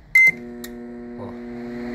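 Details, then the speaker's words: Electrolux MF41 31-litre microwave after a faulty repair, heating: short beep then steady heavy, loud low buzz; transformer fitted is too large and hums, to be replaced with smaller one. "barulho permanece barulho pesado forte"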